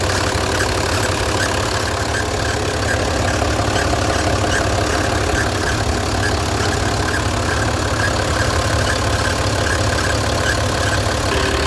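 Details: Mercedes-Benz 1620 electronic truck, OM906 diesel idling: faint chirping rub over steady idle that seems like a bearing but is the drive belt.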